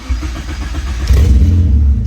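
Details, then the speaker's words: K24 engine on FuelTech EFI after tuning cold-start and post-start enrichment, no idle control valve: short crank, catches cleanly and settles into steady low idle with no throttle needed; healthy cold start. "So, didn't have to give it any throttle on that. Although, without an idler control valve, you're going to have to give it a little bit of throttle in the really cold weather. But you see what I mean? It just turned on."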